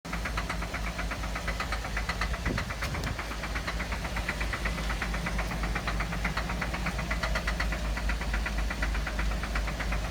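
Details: 2008 Cadillac CTS at steady idle after start-up: a sharp, regular ticking knock about two to three times per second; cause unknown.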